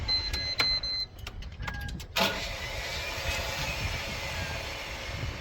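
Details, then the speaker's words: Volvo BL60B backhoe that won't crank: a few clicks, then a high free-spinning whir with no cranking as the starter's Bendix drive fails to engage the flywheel; the flywheel teeth were later found damaged. "Okay, that sounds like a Bendix. So, oops, that's not good."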